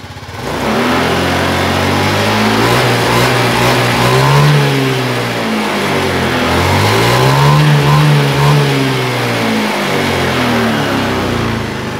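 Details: Honda Beat FI fuel-injected scooter that sometimes stalls suddenly after 1–2 km and restarts; dirty injector from tank or filter debris suspected. It revs cleanly through several blips and settles smoothly with no stumble; normal free revving.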